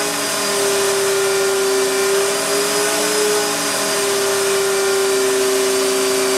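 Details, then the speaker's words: Astro Vac central vacuum power unit (Lindsey Manufacturing) in the garage, motor bearings reported bad at last service but still running. Loud steady high whine with an even hiss and no speed change. "it's kind of loud but it's really not that bad and and yeah we do have one problem with it the bearings in the motor are bad"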